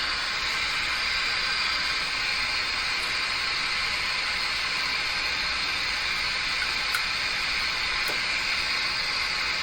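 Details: Grundig Prima Boy Luxus radio with an intermittent FM fault: constant loud hiss, no station, faint ticks; it seems to cut out on strong stations, and a cold solder joint on the board is suspected.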